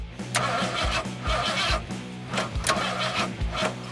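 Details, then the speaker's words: 1977 Ford Granada: starter turns it over evenly, about two compression beats a second, with no firing; no spark, with a broken, unplugged ignition connector found. "So do you have spark? No. No spark? No."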